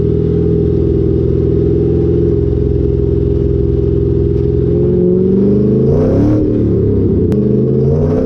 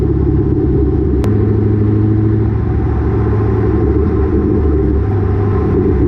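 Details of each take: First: Lowered rear coilovers with the GoPro under the car while driving: steady exhaust drone, then a sharp metallic bang over a bump. The exhaust pipe smacks the rear axle on every little bump. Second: Exhaust heard from a GoPro under the car while driving, after a header-wrap fix for exhaust banging on the axle caused by lowered rear coilovers: steady low rumble with road noise, no banging or thudding; normal exhaust, no rattle.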